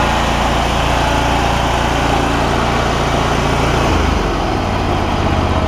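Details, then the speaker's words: John Deere ZTrak Z915E mower, Kohler CV742 25 hp V-twin, after carb clean fixing sticky solenoid; stiff PTO after sitting loading engine: steady even drone with brief drop in note, no misses or knocks; normal running. "Thing's running like a dream now, which is fantastic."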